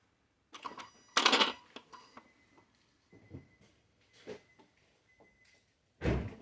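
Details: 2009 Infiniti FX50 engine bay after switch-off: scattered mechanical clunks and brief motor whine as the dual throttle body servos close the throttle plates; normal, nothing to worry about.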